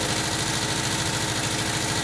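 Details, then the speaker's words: 1979 VW Type 2, 2.0 L fuel-injected air-cooled flat-four at idle: light fast glassy clinking like two glass bottles hitting, over busy idle; cause unknown, owner suspects cooling fan. "that clanking noise is. It sounds like you're banging two glass bottles together."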